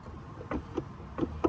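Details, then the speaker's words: 1991 Honda CRX with a new Dorman wiper transmission, wipers on intermittent: dull hollow clunks with each sweep as the wiper arm strikes the cowl tray. "making contact with the wiper tray there yep i don't like that"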